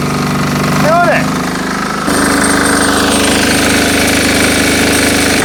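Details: Army MEP-831A 3 kW generator, 16-year-old single-cylinder Yanmar L70 296cc diesel, first test with new governor controller: steady, even chug with no hunting or surging, idling normally with no load.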